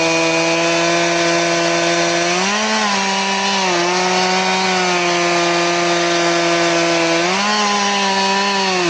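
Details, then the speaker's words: Chainsaw with its chain filed to 10 degrees, cutting near full revs: the pitch sags as the bar bites the log, and it labours and cuts very slowly, acting like a dull chain. "Remember, we're 10 degrees, but it cuts real slow."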